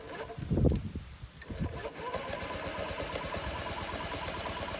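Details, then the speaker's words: Honda Ruckus scooter just after a fuel pump swap: a few uneven bumps, then steady starter chugging that never fires; it cranks fine, but fuel has not yet reached the carburetor bowl. "Give it a little bit of throttle here, maybe it'll catch. I don't know what's going on with it."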